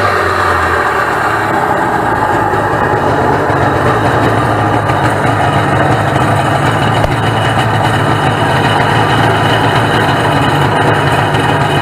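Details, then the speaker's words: 1996 Sea-Doo SPX 717 two-stroke jet ski, fired up after just adding gas, oil injection pump to be disconnected for premix: even, unbroken burble with no misses or knocks, steady low drone; healthy normal idle. "yeah she she sounds pretty healthy from what I understand by listening to it"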